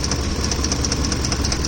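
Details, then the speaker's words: Ford F-150 with a noise from the top of the engine when hot: a sharp, fast ticking of about eight per second over a steady idle. The owner suspects the left-side camshaft or a chain. A top-end tick, source unconfirmed. "it sounds like a chain thing if this is a chain that's more like a chainsaw but then this only happens when the Tattoo's up"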